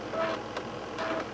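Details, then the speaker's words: Slimline laptop floppy drive after drive belt replacement, loading a disk: short whirring motor run with soft seek ticks, motor slightly noisy; normal floppy disk loading. "you can hear the floppy Drive working again it is just a tad noisy with the uh Drive motor"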